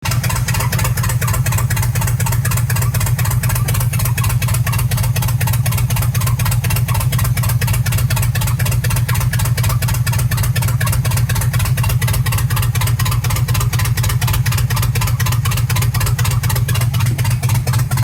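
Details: Chevy 350 V8 with good compression idling: rough, uneven, stumbling exhaust beat from misfires on multiple cylinders; cause unknown.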